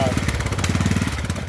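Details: Poulan 12538 38-inch riding mower, single-cylinder engine at its first start with 10W-30 oil slightly overfilled: a quick, even pulsing beat with a steady low thump; running well and healthy.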